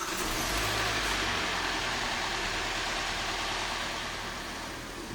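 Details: Hyundai/Kia G4NA engine, 2015 car, 135,000 km, after repair of knocking and scored cylinders, running warm on flushing oil: steady, even idle, timing chain quietened, no knocking; normal idle.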